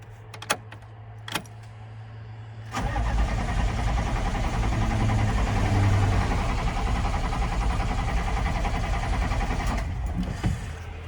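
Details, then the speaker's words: 1995 GMC 3500 HD 6.5L turbo diesel restarting after injection pump replacement: catches, runs briefly, then cuts out and only cranks without firing. Stall then no-start. "right so there's something going on here that we just haven't figured out yet seemed like it was running pretty decent when it was running there a minute ago"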